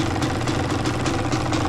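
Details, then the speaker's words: Yamaha YZ250 two-stroke idling after a Fisch Moto electric start install, RTV cured 24 hours, no leaks, earlier oil cleaned up: crisp, even idle with a steady popping exhaust beat, no misses or knocks; sounds like it's supposed to. "Got no leaks so far, guys. No leaks at all. Down here, I cleaned all that up. It was oil from the back. I think everything sounds like it's supposed to sound."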